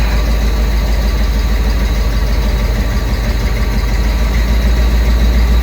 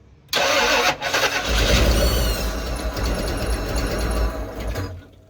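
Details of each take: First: 1995 Ford Bronco V8 idling in the garage just after swapping in the computer from another Bronco: deep, steady, even idle with no misses or knocks; it earlier shook badly and later ran poorly on the road. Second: '95 Ford Bronco after engine swap and cam change, firing order switched and set to top dead center; steady churning crank for about five seconds with no catch, engine turns but won't fire.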